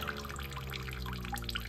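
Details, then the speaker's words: Outdoor inverter mini-split heat pump in Massachusetts, mounted on a wall of an enclosed porch, in defrost mode on a humid, rainy and snowy day: steady trickling and dripping meltwater over a low unit hum, a large but normal defrost condensate drain. "draining makes a lot of noise"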